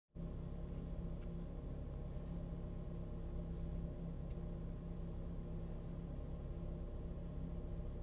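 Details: 2013 Ford EcoBoost 1.6 L petrol engine idling: deep rumble wavering unevenly, unstable rough idle from a dirty mass air flow sensor, fixed by cleaning it, lowering idle rpm.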